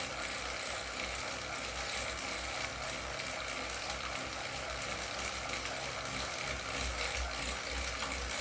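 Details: Wahoo KICKR CORE trainer with Zwift Ride on a rocker plate, pedalled faster at about 90 rpm and 170 W: fast, faint, irregular clicking mixed into the whir. This is a known trainer clicking fault; the unit was replaced.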